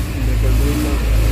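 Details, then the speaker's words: 1996 Nissan Pickup Hardbody Z24 carbureted four-cylinder revs smoothly with a deep steady note and no knocks or misses after a carburetor overhaul and battery charge, restarted after sitting unused for four years; normal running. "so now it's okay and it's starting back for a long time since this car was expired for four years"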